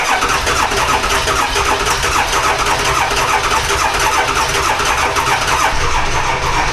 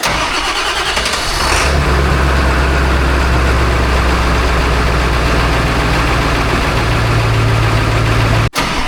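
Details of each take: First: Dually diesel truck, cold start at 18°F: laboured, uneven cranking that drags for seven seconds without firing. The starter is failing, only about three glow plugs work, and the batteries are dead. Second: Ford 7.3 Powerstroke diesel, about 175,000 miles, good glow plugs, cold start at 18°F: quick crank, catches within two seconds and settles into a steady clattering idle; normal cold start.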